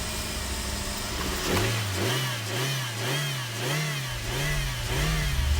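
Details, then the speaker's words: Suzuki Swift DOHC after fitting new alternator/water pump belt: engine revved repeatedly, pitch swings smoothly, no belt squeal or slip, charging well. Normal engine revving. "That sounds really nice, that. It's purring like a kitten."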